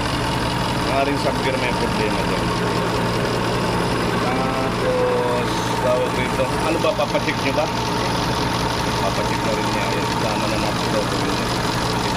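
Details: Toyota GLI 4A-FE engine, idle surging high cold and dropping when hot, stalling on shift R/D: steady idle with faint uneven beat and slight clatter from one side of the head; cam sub gear sitting a tooth off.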